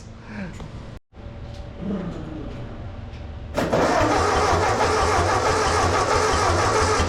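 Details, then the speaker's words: $200 1944 Ford 2N tractor, first start after carburetor cleaning and float adjustment. It cranks, catches and settles into a rough idle with a steady knock about four a second. Oil pressure is good; the cause is unknown, and heavier oil is planned. "oh yeah she definitely has a knock going on something is noisy in there o that's not good"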